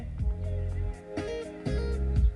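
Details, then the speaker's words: Chevrolet HHR factory radio after adding a ground wire from the radio to a metal screw. Music plays cleanly, with no tweeter whine even with the turn signal on. The problem is fixed. "no whining noise. Even when I turn on my signal, no whining noise. Problem solved."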